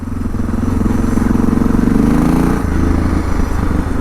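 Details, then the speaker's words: 2006 Suzuki DR650 with FMF header, slip-on exhaust and drilled airbox and carb slide: fine at steady throttle, but when throttle changes, thumps rise in pitch then bog and drop off; throttle hesitation, likely fueling. "Oh yeah, it's like fine if you're just in one throttle position. But then, yeah, as soon as you try to do anything, it just kind of catches."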